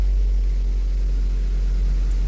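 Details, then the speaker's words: Engine after fixing code P0400 (EGR flow), previously slow to start: deep, smooth, steady idle with no knocks or dips; starts quickly three times in a row. "Oh, starts up perfect. Let me do it one more time. 3 in a row, starts up great."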